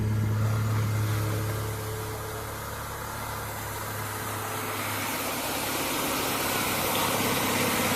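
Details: Corsa 1.0 16V whose belt had snapped, after the bearings were replaced (the tensioner bearing had first arrived wrong): the engine catches and settles into a smooth, even idle with no rattle or grind from the pulleys; the bearing noise is gone.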